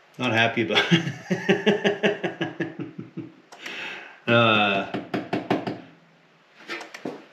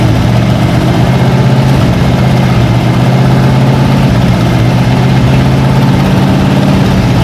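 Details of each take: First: 1956 Oldsmobile 88 sitting partially disassembled, spark confirmed, fuel sprayed in: starter cranks in quick bursts, about two and a half beats a second, engine never catches; cranks but won't start, owner suspects very low compression. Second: Long-sitting 1956 Oldsmobile 88 after new plugs and filling the carburettor bowls: low, even idle holding one steady pitch with no misses, knocks or surges. Normal idle.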